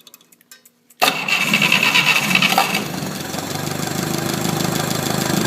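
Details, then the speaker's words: 1972 Atomic 4 marine gasoline engine, ~1,000 hours, on temporary fuel pump (mechanical pump bad): fires instantly after short crank, settles into steady even idle with 40 psi oil pressure at low idle; normal start and idle. "That even at a low idle, you're running 40 pounds of oil pressure on this."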